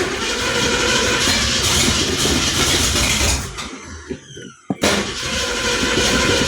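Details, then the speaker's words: 1966 Ford Mustang, started after new fuel tank and brake work: loud raw rough idle rattling and roaring with no muffling, then dropping off; exhaust broken off, running open straight off the header on one side. "So, what is going on with this exhaust system? Do we have any exhaust system? I think we're running off the header."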